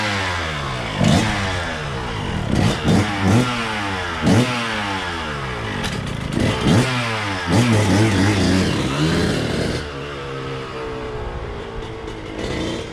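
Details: 2000 Suzuki RM125 two-stroke: ragged revs climbing and falling unevenly with burbling and hesitation between bursts; owner feels it is still running rich, possibly jetted for a different silencer.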